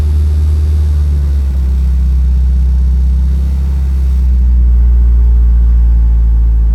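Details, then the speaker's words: 1986 Dodge Daytona Turbo Z Shelby Edition after turning in the bottomed-out idle screw; deep, slow, lumpy rumble, idle a little better but still really low; low idle speed. "idle's really low but it's not super obviously we did the whole subframe on this thing but second let's see how it does all those turbo noises are glorious"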